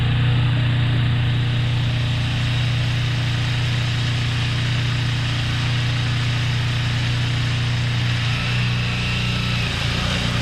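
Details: Craftsman two-stage snowblower engine, freshly refueled after two years unstarted: strong, even low drone with a steady beat, no surging or hesitation while blowing; runs great.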